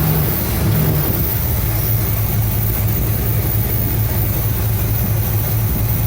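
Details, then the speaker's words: 1975 Cadillac Fleetwood V8 idling about 5 minutes during valve cover gasket replacement, being checked for oil reaching the top end (it does). Deep, even, steady low rumble with no knocks or misses; normal idle. "Okay, it's been about 5 minutes. I'm just idling it, monitoring it for the last about 5 minutes or so."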